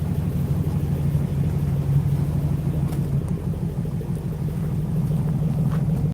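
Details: 1960 Ford Starliner with a 292 Y-block V8, heard at the rear after the low idle from the start smoothed out. Low, smooth, even rumble with a steady beat and no knocks or misses. Normal, healthy idle.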